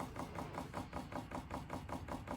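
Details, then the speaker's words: VEVOR 8kW 12V diesel air heater priming before first start: soft, even ticking about five per second as the dosing fuel pump pushes air bubbles out of the fuel line toward the heat exchanger; normal. "And right now it's getting the bubbles out of the fuel line, and it takes a minute."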